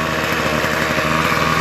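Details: Toro 51976 25cc two-stroke straight-shaft gas trimmer after gas line, recoil starter and trimmer head repair; warming up, choke partly off, full throttle: high-pitched steady buzz with no stumbles or surging; runs cleanly, normal.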